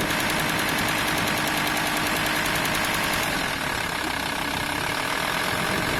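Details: VW T4 2.5 TDI AXL diesel at low revs: fast, uneven metallic rattle, like loose metal chattering, in the serpentine belt area, only at 1050–1100 RPM; probably the belt tensioner pulley, not confirmed.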